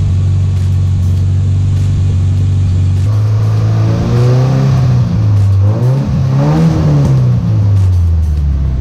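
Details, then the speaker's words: Datsun 1200 ute, driving after cooling-system work: engine revs rise and fall under load with no clunks, squeaks or grinding from the front end; the earlier noise has gone, normal front suspension, no wheel play felt. "that noise definitely went away and uh let's see if there's any play"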